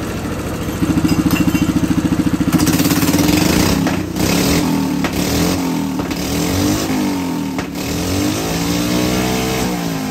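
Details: Hydrogen-fuelled engine with petrol replacing water injection, hydrogen turned down, at full rpm: hard, fast pulsing shake about three beats a second, running rough.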